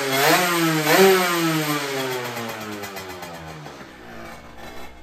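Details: Derbi 50cc two-stroke motorcycle after a new cylinder, carburettor change and exhaust leak fix blips twice and settles cleanly, running much better with far less rattling, smooth without rattle.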